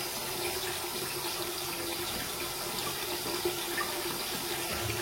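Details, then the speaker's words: Toilet cistern flush mechanism with float held down: steady hiss of water filling without stopping as the fill valve stays open, level rising and excess draining into the overflow pipe. "Et là on va voir que ici il y a le trop plein, donc là je vais le faire pour la vidéo. Eh bien l'eau va monter, va monter, va monter. Et l'eau va couler dans le trop-plein."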